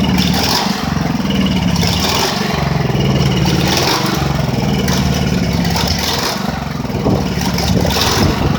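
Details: Ridgid generator with Honda GX390 engine, finally starting after repairs but not fully fixed: the note rises and falls every second or so with some clatter, a regime problem; owner suspects a loosened part needing remounting, engine hunting.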